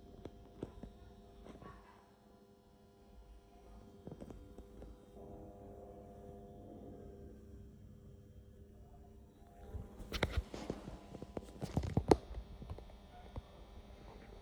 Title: Super Bad Bearings